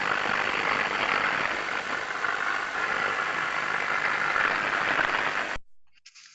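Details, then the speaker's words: Electrical distribution equipment heard through an airborne ultrasound detector: uneven crackling hiss with buzzing undertone, level swelling and fading, 50 Hz harmonic base in FFT; abnormal. "we can hear something there that's quite it seems to vary a bit in in the level of sound and it doesn't sound very uniform but it sounds abnormal"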